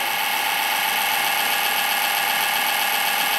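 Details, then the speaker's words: Rear case fan in an old eMachines Windows XP PC at power-on: harsh raspy whirring with an uneven rattling edge; worn fan bearings. "bearings are gone on that fan. Yeah, because it's in there nice and tight."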